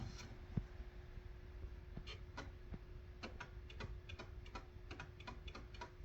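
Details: DIY pulse motor with 3D-printed 13-slot magnet rotor and three coils, slowed right down: each coil pulse comes through as a separate sharp tick over a faint steady hum; pulsing normally.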